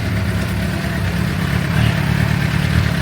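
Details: 2006 Suzuki GSX-R750, over 5,000 km since last service, warming up before oil change, oil at 48 °C heading to 60: even, steady low burble, no ticking or tapping; engine idling healthily.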